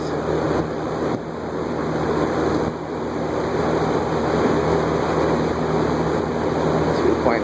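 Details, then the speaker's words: Air King 20" box fan from a thrift store, on high after its gummed-up bearings were freed with WD-40: even rushing air over a low steady motor hum, no scraping or ticking; normal high-speed operation. "am not a fantastic air mover but it's not bad okay let's wind it down that's not bad actually seems like the bearings are okay"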